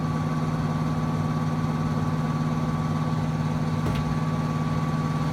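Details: Trane XB heating system under a year old in new home, loud steady low hum with faint higher tone while heat runs, noticed after cleaning air filter following construction dust; cause unknown.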